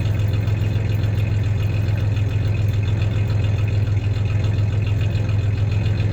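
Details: 1993 Ford Ranger 3.0 V6 idling with a little rev: steady low idle, slightly uneven beat about three or four pulses a second; slight misfire at idle; clanking is bed tie-downs, not the misfire.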